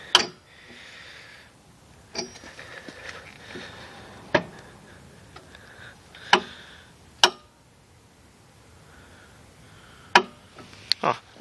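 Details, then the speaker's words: X1 pocket bike, recently repaired with new ignition: isolated sharp ticks a few seconds apart on the button, no cranking; battery seems low, suspected drained by faulty voltage regulator. "seems like the battery is already low yeah so the voltage regulator also messed up the battery a little bit"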